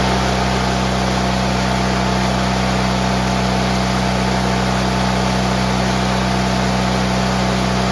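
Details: GT18 garden tractor twin, carburetor refitted and repairs done, air cleaner still off: steady, even drone at constant pitch, no stumbling, popping or surging; previously it flooded and chuffed smoke past half throttle once warm.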